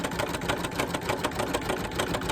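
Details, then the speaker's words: Embroidery machine stitching a table runner through multiple layers: fast, regular thumps about eight per second with a harsh, clacky edge. The sound seems wrong, yet the stitching looks okay; cause unclear. "I don't like the way that sounds, but it's like that."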